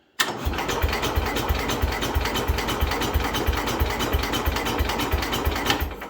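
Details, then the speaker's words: Old Cub Cadet tractor engine restarted catches and runs with a choppy, lumpy beat of about three pulses a second; caused by incorrect ignition points gap set off top dead center, fixed by resetting. "all right so the nose there was just being caused by an issue with the points Gap it's just because I forgot the motor was all your top dead center when I set them"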